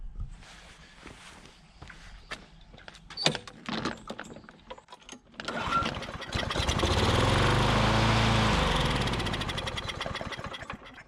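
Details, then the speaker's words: Curbside Briggs & Stratton Classic push mower engine being revived; after several slow pulls it runs only on the primer, revving unevenly then sagging; owner suspects fuel is not pulling up to the carburetor. Oil burning off muffler. "well i think we still got an issue with uh fuel pulling up to the carburetor"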